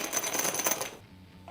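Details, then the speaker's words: Bag with noisy metal zipper pulls shaken: quick bright metallic clinks and jingles for about a second; zipper pull rattle, to be silenced by replacing pulls with reflective cord. "you ever get a bag that's just so noisy and it sounds something like this"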